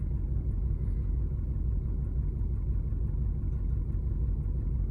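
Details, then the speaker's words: 1999 Ford Expedition V8: low, lumpy rough idle about twice a second; codes P0171, P0174, P0401, with the EGR valve suspected stuck partly open and leaking intake gaskets noted; engine also has rod knock. "I don't know sounds sounds bad though right it's idling really rough"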